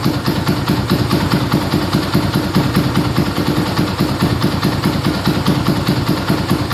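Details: Yamaha Scorpio single-cylinder after tune-up (valve adjustment, carburetor cleaning, new intake manifold, oil change): steady even beat about 2.5 pulses a second, no ticking or stumbling, smoother after valve adjustment, air screw about 1.5 turns; normal idle.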